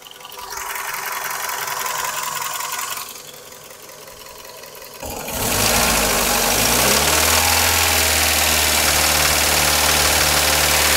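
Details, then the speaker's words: 21-year-old engine now warmed up: catches and settles to a steady warm idle with a fast, even tapping knock that persists when warm; cause not pinned down; owner says the engine needs repair anyway. "Хороший стук всегда сам вылезет, да? На 21-летнем двигателе уже и пора бы. Вот. Лезет. Прогретый."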